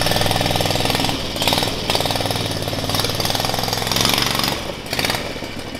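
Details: Predator 670cc single on Yerfdog Spiderbox off-road kart, first ride after stiffer governor spring (now ~3600 rpm, was ~2000); pulls up cleanly, steady high buzz, no misses; normal revving.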